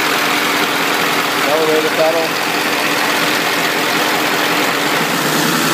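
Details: 1997 Powerstroke diesel in donor truck, wired with 12V switch to PCM and starter relay momentary switch, fired up before swap into 1958 Chevy: steady, even idle clatter with no knocks or misses; starts and runs smoothly.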